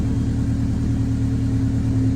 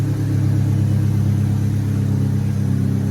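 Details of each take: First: 1998 Honda Civic, check engine light, loss of power; after clearing codes: low lumpy idle with an uneven throb, no steady beat. MAP sensor suspected; live data shows MAP about 11–12, owner also suspects timing may be off. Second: 1998 Honda Civic after fitting Denso 3280 MAP sensor: engine catches promptly, brief rev, settles to steady even run without the earlier miss; normal start, no sensor codes.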